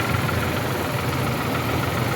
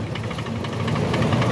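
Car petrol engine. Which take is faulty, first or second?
second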